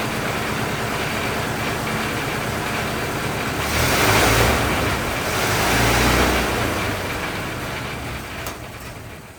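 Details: 1927 Ford TT truck, up on jacks, first run with new buzz coils; four-cylinder runs evenly and picks up cleanly on two throttle blips before settling, no misses or knocks; runs really nice, normal running.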